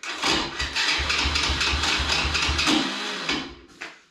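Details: Alpha 110 quad bike engine at start-up: uneven crackling rattle about twice a second while cranking, with sharp ticks; the starter one-way (overrunning) clutch is slipping, repaired along with the starter chain.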